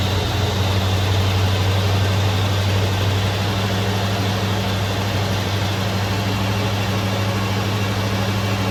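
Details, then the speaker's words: 1966 Ford Mustang first started after sitting 16 years under a carport: deep, steady idle with an even low beat and no ticking or knocking, though it gets rather smoky; normal idle. "Oh, come on, honey. Sounds good too. Silent. Oh, it's getting pretty smoky. Silent. Sounds great."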